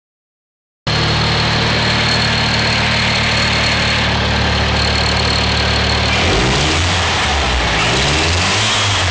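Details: Toyota 4E-FTE engine, cold or just started: an odd extra noise comes on slight accelerator presses at about 0:08, 0:10 and 0:12, source unknown. It goes away after driving a while.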